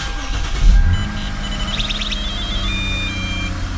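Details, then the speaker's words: Lexus 3.5L V6 (2GR) cold start after throttle body cleaning and a battery disconnect. The engine catches and holds a steady, slightly high idle with no misses, which the owner thinks may be due to the cold start. "so as you guys saw um when I started take car the RP PM was like kind of high maybe because it it was a cold start"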